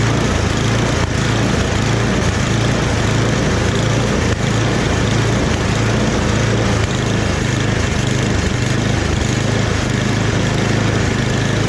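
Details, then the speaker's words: Rebuilt snowblower small engine restarted with the transmission in medium: a steady, even beat under light load with no misses or knocks; it runs normally. "Everything seems to work with it. So I'm pretty surprised. Again, here we'll start it up one more time for you guys."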